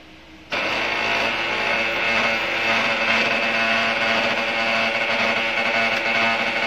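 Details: Brother DCP-L2540DW laser printer (similar to MFC-L2700/L2740DW) starts with a steady buzzing whirr and sharp pitched tones over the drive; a gear noise, with a worn or damaged gear suspected.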